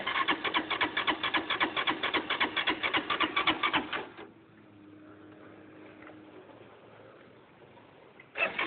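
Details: LF200III motorcycle that won't start: starter churns evenly at about four beats a second for roughly four seconds with no firing, then a pause and more cranking; crank no-start.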